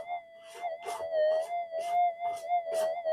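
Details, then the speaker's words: Standard, unmodified Minelab GPX-5000 metal detector in normal mode, factory default settings: steady mid-pitched hum broken by frequent crackly chirps, threshold chatter from electrical interference. "standard detector. And you can hear the amount of chirp coming through."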